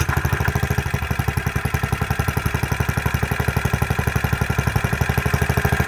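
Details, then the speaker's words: Freshly rebuilt Kohler K91 single-cylinder engine on initial startup after choke and fuel, crisp even putter at about four firings a second, steady and unbroken; normal idle, to be run 15–20 minutes for initial break-in. "for an initial startup i don't think you could ever ask for anything better than that"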